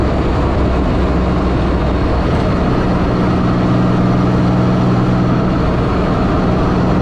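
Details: 1984 Fiero wide body with 3800 V6 swap, driving after new header gaskets and a V-band clamp fixed an exhaust leak: steady low cabin drone under road noise, no ticking or puffing; the exhaust sounds sealed and healthy.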